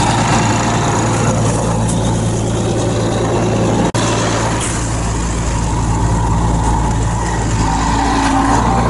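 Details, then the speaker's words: Same machine after warming a couple of hours, still below freezing, started without ether or jumper cables and smoking: deep, steady diesel rumble with an even beat, no misses or knocks; normal running after cold start. "it's amazing what a couple hours will'll do on a machine like that when it warms up we're still below freezing right now but you saw it smoked no jumper cables no ether no nothing fired right up"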